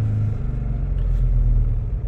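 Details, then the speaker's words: 2015 Audi Q7 3.0 supercharged engine near 4,000 rpm under throttle: deep, lumpy rumble with uneven stumbling misfire, RPM barely rising; failing high-pressure fuel pump giving low fuel pressure. "so we're going to push this a little bit to see what happens of obviously you know I'm misfiring D D D D D you can hear it"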